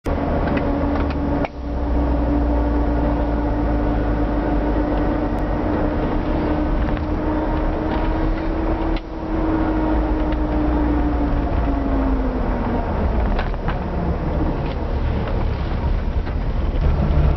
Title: Range Rover whining noise